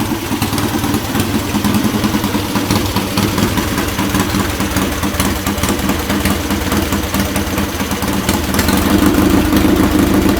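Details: Restored Triumph Bonneville twin, rebuilt from parts, warm: even, steady twin-cylinder idle with a firm exhaust beat, no knocks or misses, nothing strange coming out the pipes; normal idle, sounds healthy.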